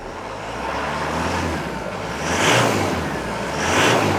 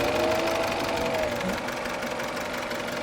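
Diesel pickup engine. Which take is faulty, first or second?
second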